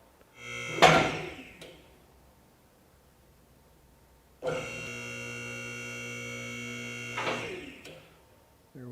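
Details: Atlas Platinum 10,000 lb lift during first raise after installation, pump filling the cylinders before bleeding air. An electric hydraulic pump hums at a steady pitch for about three seconds, then stops cleanly; normal operation.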